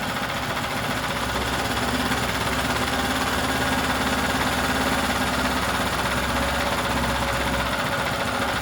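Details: New out-of-box 79cc bike kit engine on a table, fitted with Chinese muffler and air cleaner: fast, steady high idle with slight surging rattle, won't settle lower; governor-limited, needs high idle to start.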